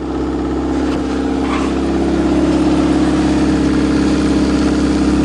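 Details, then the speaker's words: Chevrolet idling just after a cold start on the coldest day of the year, battery charge uncertain. Steady, even idle that firms slightly as it settles, no knocks or misses; some smoke afterward; a normal cold idle. "wow what a car you can depend on your Chevrolet that's for sure"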